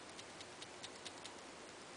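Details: iPhone 5 tapped near the camera: light, crisp ticks about every fifth of a second, like something loose inside; owner read it may be the camera lens assembly or the lock button; a friend's phone rattles less, another's not at all.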